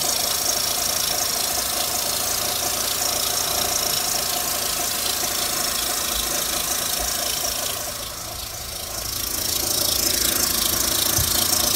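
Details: 2004 Mitsubishi Lancer Ralliart at idle: quick metallic tapping about three to four a second over engine hum, unexplained knock or tick, despite new coils, plugs, belt tensioner, idler pulley, harmonic balancer, serpentine belt and valve cover gasket.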